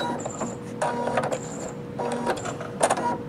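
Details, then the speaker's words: Singer Futura Quintet, after its bobbin area was cleaned and oiled: short bursts of light whirring and clicking from the scissor thread cutter with no harsh snap; quieter than Brother and Baby Lock cutters, working normally. "The scissor cutter is so much more quiet than the Brother and Baby Lock."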